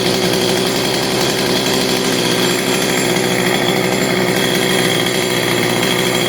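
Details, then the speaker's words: CS310 chainsaw after fixing the clutch spring and resetting the low jet screw and throttle plate, steady, even two-stroke buzz with no surging and the chain no longer spinning at idle; normal idle after repair. "you can see that the chain is no longer spinning because we took care of the spring on the clutch so it would normally be spinning"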